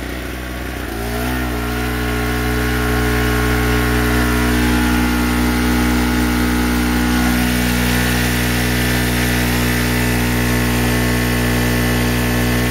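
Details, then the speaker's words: Chicago Electric 800 W two-stroke generator under about 700 W electric-heater load, after replacing a junk spark plug: settles to a steady, even drone, holding speed without hunting or surging; running great. "okay I'm going to let the generator run for a minute um I've got about 700 700 Watts on it seems to be running great to me"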